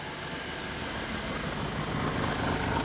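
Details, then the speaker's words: 2019 Hyundai Tucson 1.6T GDI at idle, heard at the exhaust, after a loud poof while driving and new spark plugs: uneven lumpy thrum with a steady hiss and heavy vibration, but no misfire counts or check light; a compression test follows. "So let's start the vehicle up and see what we get. Yep, this vehicle is running really rough."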